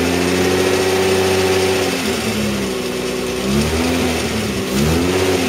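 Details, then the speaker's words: Mazda MX-3 1.8 V6 (K8) at idle, heard at the front of the car: light clacking over a wavering idle that grows louder as the engine warms. The part replaced on suspicion of a bad bearing didn't fix it; the source is not yet pinned down. "noise that noise is kind of like a clacking R Ling down um once out I'll leave it for a minute we going to get warm it gets louder as it gets warmer"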